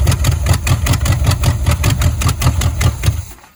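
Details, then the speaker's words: 1970 Chevrolet Chevelle, sat since 1995, new fuel filter, fuel from gas can: even starter cranking about 2.5 beats per second, never catches; no fuel reaching the engine, fuel starvation. "It's not getting gas at all."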